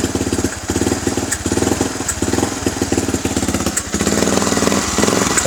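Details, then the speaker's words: Yamaha Vixion stumbling when engine hot; throttle blips break up, revs dip and sputter about every second, rpm falling as if about to die when throttle opened; attributed to dirty fuel pump filter. "ini dia ciri-ciri kalau fuel pumpnya kotor bro."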